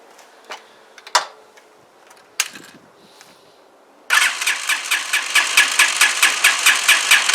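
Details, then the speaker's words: CPI SUV125 scooter, first start after a carburettor clean and rebuild with the carb bowl still empty and the spring-loaded choke held: a few weak cranks, then it catches into a crisp, even putter of about two beats per second. First start after carburettor rebuild. "let's try and fire it up it might turn over a bit because cab's empty but uh see if it sounds any better"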